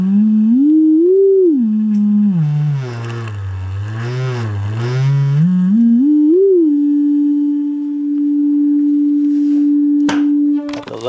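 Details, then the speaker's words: 1964 Leslie speaker from a Conn organ, driven by a modified Squier Champ amp with a frequency generator: swept tone turns buzzy and rattly at low frequencies and clears higher; something rattling at the speaker, suspected, not confirmed. "But as you lower it down, you can hear some real bad vibration. Let me just slow this down. So something is rattling in there, right"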